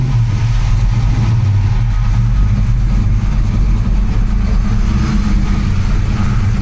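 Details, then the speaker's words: 1992 Ford Mustang Fox notchback, 347 stroker, AFR 185 heads: deep, loping V8 idle with choppy, uneven exhaust pulses; injector wires for cylinders 7 and 8 found swapped. "Well, I had John look at his car to confirm what his were, and he found out that the back two wires on seven and eight on his car were swapped."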